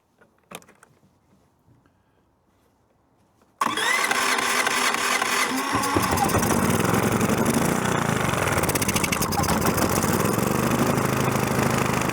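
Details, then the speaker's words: Predator 3500 generator test-started the day after a new carburetor was fitted: quiet handling, then it catches at once and settles into a steady, even run with no misses or surging; started with no problem. "Anyway, that started with no problem."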